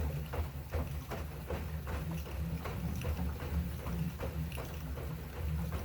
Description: Assault runner elite creaking sound